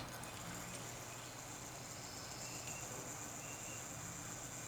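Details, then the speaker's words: RCA Victor C-3E AM clock radio clock motor, removed and run alone on 110 V isolated supply: only a faint even hum under light hiss, no ticking, buzzing or grinding; normal clock motor running. "quiet as a mouse good"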